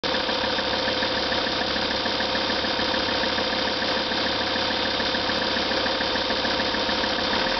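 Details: Lancia Thesis 2.4 JTD diesel, warm after about 30 minutes and 25 km of driving, idles evenly with a faint steady high whine riding over the clatter; source of the whine not identified.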